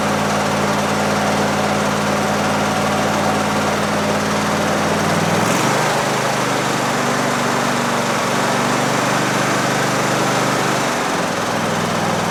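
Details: Briggs V-Twin on a Husqvarna lawn tractor after replacing the governor gear assembly; steady even running, speed drops and settles in two steps with no runaway; throttle control restored, normal governed running.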